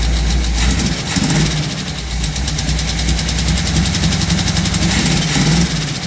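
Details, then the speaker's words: 1958 Chevrolet Biscayne V8 after Rochester carburetor rebuild; lumpy, uneven idle with a loping stumble, sounds like a missing cylinder, heavy smoke. Owner suspects valve seals or rings, compression test planned. "but runs still sounds like it's missing a cylinder though"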